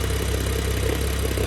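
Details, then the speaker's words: BMW F10 with N55 engine, just fitted with a lightweight single-mass flywheel and a 550 clutch, not fully warm, microphone under the car: intermittent low, pulsing rattle in neutral at about 700 rpm; the known single-mass flywheel noise. "so you can hear the rattle to be honest it's rather intermittent and from what i understand it's only when it's in neutral and"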